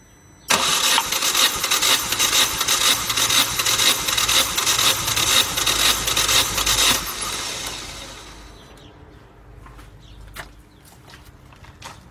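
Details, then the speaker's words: Opel Corsa C compression test, engine warm: fast even starter whirr about two beats a second for six seconds, no firing, little load change; compression gauge reading not rising at all on this cylinder, cranking without compression build-up. "Nu. Tot așa e compresia. Tot așa n-a crescut deloc."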